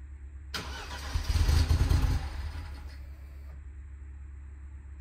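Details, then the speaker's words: BMW F30 316i (N13) cold start with no fault codes: the starter whirs, the engine catches, revs unevenly, misfires and falters toward stalling; the coolant temperature sensor falsely indicated a warm engine. "it sounded like it would start but it would immediately die and then on the second try it would start almost correctly with a few misfires"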